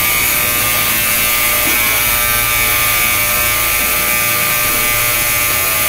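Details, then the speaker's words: Yescom 6L stainless steel commercial ultrasonic cleaner, new, just switched on with heat (21°C, aiming about 60°C) for 30 minutes: constant harsh high buzz with rattling edge, "really makes a racket"; owner unsure it's normal, cause unclear. "Wow, that buzzes a lot. Okay, really makes a racket. Listen to that."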